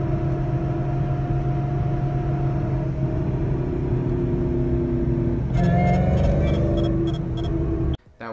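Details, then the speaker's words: 2011 Ford Mustang GT with Roush Phase 1 supercharger, driving: constant low droning roar from the rear with steady hum under road noise; rear differential and bearings failed, rear end being replaced. "i suspected it could have been the drive shaft or rear end in terms of also the rear axle and my reasoning was because there was a kind of a roaring noise"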